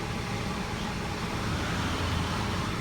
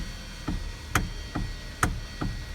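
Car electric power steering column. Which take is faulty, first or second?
second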